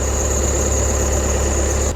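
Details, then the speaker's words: 2020 VW Passat B8 2.0 diesel 110 kW, cold start after sitting overnight in frost: steady idle with a thin high whistle, alternator belt slipping under high morning charging current; owner suspects a roller, whistle stops once warmed. "нехай він відтаює і поки що свистить якись ролік Я думаю все ж що це за навантаження на генератор"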